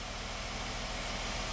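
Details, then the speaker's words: 2016 Hyundai Santa Fe GDI after injector replacement, pending P0507 idle too high: steady petrol idle at 800 rpm versus 650 target, commanded throttle 0% but OBD absolute throttle 11%, fuel trims normal; high idle from sticking throttle body. "Yeah, so we're at 800 RPM. We're supposed to be at 650. Throttle opening is at 0%. That's interesting."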